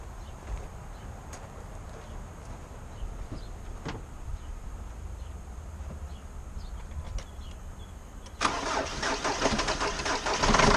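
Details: 2005 Jeep Liberty CRD common-rail diesel with prior overheating and a suspected catastrophic failure: cranks, fires and settles into a lumpy, uneven idle with a missing beat, running on three cylinders; dead cylinder, cause not yet confirmed.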